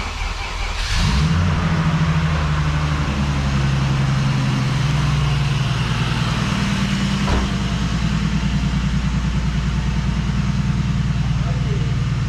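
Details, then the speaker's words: Turbo BMW E36 after an engine-bay fire, repaired; sharp start then loud, deep, steady idle with an even rumble, no misses or knocks: normal idle. "no fires no breakdowns it's nice and smooth I'm happy"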